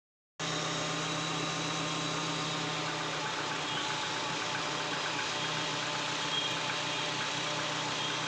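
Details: Hyundai Accent petrol DOHC engine idling with a slightly uneven, stumbling beat: engine misfire.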